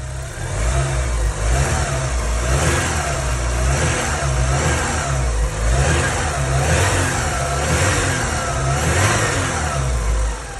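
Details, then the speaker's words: Engine revved after an oil additive was added to reduce engine noise: smooth, even rev sweeps rising and falling every couple of seconds, no knock or tick; the earlier noise is gone and the engine sounds healthy. "Ya no suena. Ya no suena. Ya se escucha bien."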